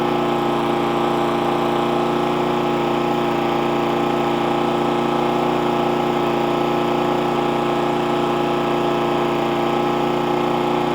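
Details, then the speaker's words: Hayter 41 mower that hit something and wouldn't start, after tightening the spark plug, cleaning the carb, flushing the tank and refitting the carb o-ring and clip: steady even beat with no laboring or surging. Suspected to have sucked water from a low tank; normal running. "it's actually sounding better already if you go back to the original part of the video you hear it laboring a little bit that's now running much better"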